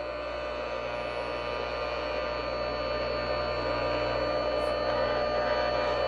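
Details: Craftsman 100 table saw motor test-run before cleaning, on a temporary three-wire cord (hot, neutral, ground) replacing the old two-wire lead: steady, even hum with a constant whine and no knocking or grinding; it runs smoothly.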